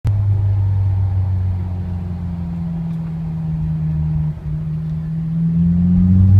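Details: Honda S2000: deep, steady drone with a low hum beneath, heard only while engine braking at about 2–4k rpm; owner asks what is wrong. Abnormal drone on engine braking.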